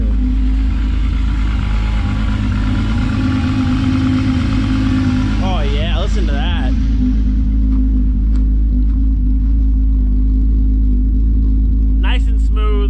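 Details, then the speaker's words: VW MK3 with VR6 engine, after fitting new NGK platinum spark plugs: steady even idle with smooth low drone, no misses or stumbles, running much better. "so you got a little miley oh now she sounds good yeah yeah that's how the beer is supposed to sound much better"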